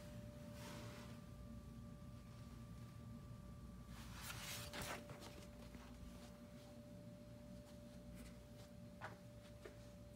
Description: Whistling noise from the window, however, the business office didn’t fixed it for a year!